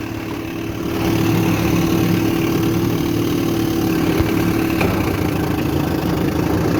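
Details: 1960 Scott-McCulloch 12hp outboard fitted with a 14.1hp McCulloch powerhead, after point cleaning, new spark plugs and fuel pump work, in a lake test with the water pump working. Two-stroke idling with an even, steady burble, no knocks or rattles; runs healthy.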